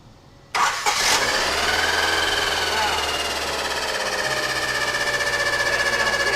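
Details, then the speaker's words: Honda Civic EG sedan after a tune-up with new plugs, wires, distributor cap and rotor, rough-running: catches and settles into a slightly uneven idle with a steady high scraping whine, like something rubbing. "Yeah, it sounds like something rubbing."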